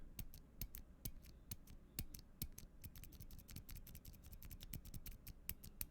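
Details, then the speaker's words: Stock, unlubed Gateron Silent Black keyboard switch for an LK67 build, recorded close-up: dry scratchy presses, a leaf spring pinging sound and a faint spring noise. "yeah this is the stock one so you can hear the scratchiness you can hear the the leaf spring leaf pinging sound and you can hear a bit of the spring"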